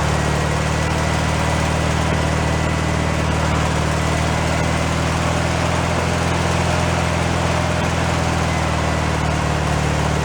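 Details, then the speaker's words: Rebuilt air-cooled engine for a 1965 VW sunroof Beetle, run on the ground before install after fixing a small carburetor fuel leak: a smooth, even idle with a steady low beat and no knocks or misses. A healthy idle. "all right we're good to go sounds pretty good"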